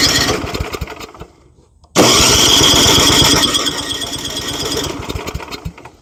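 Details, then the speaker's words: Junk boat outboard after primer pumps, fuel on: quick steady cranking with a few uneven puffs hinting at firing, but it never catches; cranks but won't start. "Ah, she seems like she wants to fire. So, I do have the fuel on, right? Yep, that's on. Man, she sounds like she wants to and I want her to."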